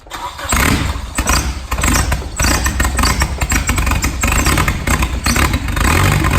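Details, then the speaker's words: Nissan Bluebird SR20 with a DIY turbo kit: the engine catches and runs rough and uneven, not idling properly, and revs never pick up; no throttle response, throttle linkage detached. "Oh, yo, the throttle's not even working, dude. Really? The throttle doesn't even work."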